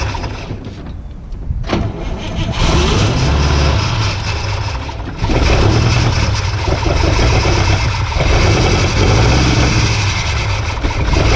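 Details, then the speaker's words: 56-year-old Oldsmobile Rocket 88 V8, unstarted for over 20 years, with no fuel in the tank and fresh petrol poured down the carb. A short crank leads to a deep, slightly uneven idle with throttle blips. It runs only on fuel primed into the carburettor. "56-year-old car, stood for 20 years, little bit of fuel, dodgy little key, and she fires up and runs."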